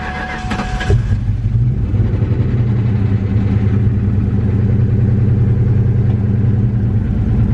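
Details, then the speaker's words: Ford Mustang SVT Cobra V8 in restoration, first start after reconnecting the battery and fuel pump: cranks briefly, catches and settles into a deep, even burble with steady low exhaust pulses, sounding great from the rear; normal start and idle. "About time. So from back here sounds great."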